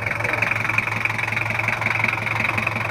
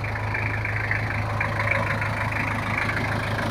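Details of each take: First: Toyota Kijang LGX 2.5 diesel at idle: steady clatter, knocks near three per second, slightly uneven and harsh; owner complains of rough sound, suspects valve clearance adjustment is due. Cause unconfirmed. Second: Toyota Kijang LGX 2.5 diesel after valve adjustment and service for rough noise and oil leaks: steady, even low rumble at idle with no knocks or misses; smooth normal idle, no longer rough.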